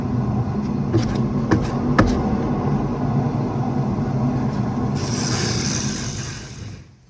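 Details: Rear right wheel bearing, car lifted, microphone at the freely spinning rear wheel: steady low droning hum of even pitch, fading as it slows, no helicopter noise or violent vibration; worn wheel bearing noise.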